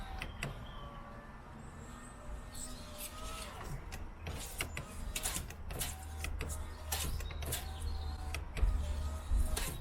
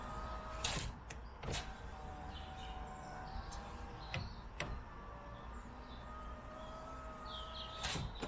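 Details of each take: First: Peugeot 107 power window that jams closing with the glass twisting, after silicone spray in the channels: the motor hums through repeated up-down strokes with a scratchy, gritty drag and squeaks, blamed on road salt and grit from heavy motorway use. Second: Peugeot 107 power window that jammed when closing, fixed with silicone spray in the glass channels: several clean up-and-down runs with a steady motor hum and soft thuds at the stops. The window moves smoothly without jamming.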